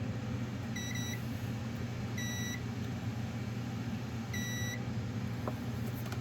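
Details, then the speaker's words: Multimeter continuity test between the heater's ground and the power outlet's earth ground: a steady high beep repeats three times over room hum, showing the two points are connected at the same potential. "do a continuity test so you hear it beeping it's the same it's at the same potential"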